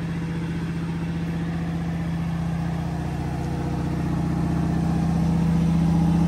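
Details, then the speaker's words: 1986 Oldsmobile Cutlass 442 V8, just revived after sitting for weeks, idles with a steady, even, smooth low burble and no knocks, misses or ticks; engine running healthy, described as purring. "but you can hear it in the front running like a kid purring like a kid"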